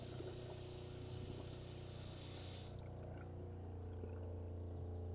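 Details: Water rushes from the cold/hot tap of a VW Crafter campervan while a small water pump hums steadily underneath, then keeps droning after the flow stops; the tank gauge reads second from empty; normal water pump operation.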